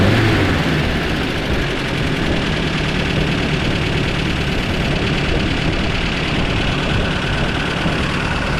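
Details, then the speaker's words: 1994 Toyota Pickup work truck on a chilly day, test drive after new plugs and wires (fuel filter not yet changed): rough lumpy running at full throttle, still missing terribly with dropped firing pulses. "That's to the floor. Oh, she's still missing terribly."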